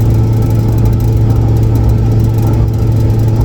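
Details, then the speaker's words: Turbo Lincoln Town Car on a freezing morning, steady low howl over road rumble while cruising, coming from the rear differential with 3.55 gears; cause unknown, diff cover to be pulled, later changed to 3.31 gears. "You hear that howling? Gone. There it is. That's the noise we're trying to figure out. Definitely coming out of the rear though."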